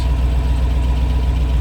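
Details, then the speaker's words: 1972 Range Rover A Suffix V8, warm with temperature mid-gauge and idle near 800 rpm after carb adjustment: deep, even burble heard muffled from inside the cabin with newly fitted Dynamat; normal idle, though tappets still tick outside. "Sounds quite nice, doesn't it, in here? It's got a certain burble to it."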